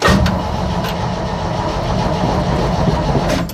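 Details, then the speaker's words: 1965 Chevy C10 that sat in a field, on a jump box and battery charger: several seconds of steady cranking that never catches. Owner suspects not enough fuel is reaching the carburetor for starting; it runs when gas is poured in. "Interesting. So the problem we're getting is it doesn't seem to be getting enough gas up into the, I guess, carb for initial start. But if I pour a little bit of gas in it, it's fine."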